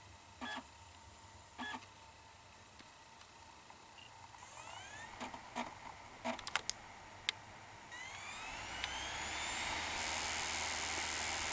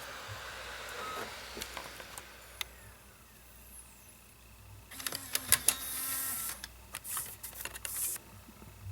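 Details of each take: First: 2009 Mac Mini with replacement TSST Corp (non-Apple) optical drive, Windows 7 DVD inserted: a few short clicks and seeks, then smooth whine rising steadily as disc spins up; drive much happier, normal spin-up. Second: 2009 Mac Mini DVD drive tested with Tron 2.0 disc: quiet irregular clicking and mechanical chatter with faint whirring as disc spins; strange sound owner never heard before, drive possibly not in best shape; noisy optical drive.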